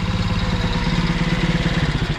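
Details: Alfa 110 moped, reassembled after a valve-like knock. Now idles with a low, even putter and regular firing pulses, the heavy knock gone and only a faint unclear tick left. Mechanic suspects a worn cylinder.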